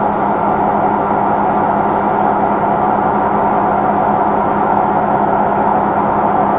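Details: Samsung front-load drum washing machine during spin: a loud, steady droning hum with a constant whirring tone and no clear knock. The same noise led to a replacement unit after three months and returned about a year later; cause unclear.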